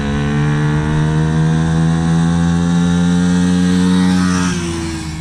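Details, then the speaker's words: Dumpster-found Chinese 48cc quad with new fuel lines, started by jumping the starter solenoid since the key is disconnected: steady even buzz while blipped, holds pitch cleanly then eases down; smooth healthy running. "You saw the quad runs good, and this is where the ignition is, so I'm going to take off that body work so we can get to it."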